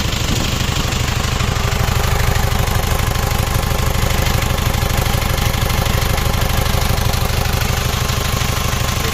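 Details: Isuzu Panther double-cabin diesel idling after overhaul, after replacing the leaking copper injector nozzle ring that had caused a hissing sound; even clatter about three beats a second, no hiss or miss, smooth healthy idle.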